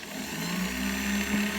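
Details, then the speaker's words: Universal Pillar Tool's motor and blue drive belt, with the ends melted together, run at full speed for the first time: hum climbs then holds steady, slight belt wobble that settles with little vibration, normal belt drive at full speed. "See a little bit of wobble in the belt there. Not too bad. It's not real stretchy. It's like it finds the right frequency and settles in, and it's not vibrating much at all."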